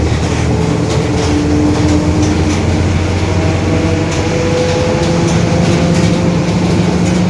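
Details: Marcopolo Torino S bus, 2021, Mercedes-Benz OF-1721 BlueTec 5 chassis, lengthened, urban service; heavy rumble under way with a low droning growl rising and falling with road speed over the diesel; growling differential.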